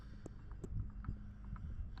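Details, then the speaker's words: Mercury Optimax 150 outboard air compressor turned slowly by hand: light dry click at the same point each rotation, with shaft and pulley moving up and down from crank journal wear; compressor was not noisy when running. "That's causing that wear in here is causing the shaft movement. It's just causing this to move up and down."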